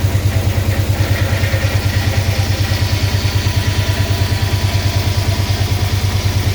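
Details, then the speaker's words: 6.1 HEMI V8 swap in a 1970 Coronet, first run with no coolant: loud lumpy idle with a heavy even stumble about three times a second; injectors on cylinders 8, 6 and 4 not firing. Misfire from dead injectors. "i figured out that the um injectors uh weren't firing so cylinders freaking eight six and four were not firing cylinder two was and then one three five and seven were but for some reason these weren't"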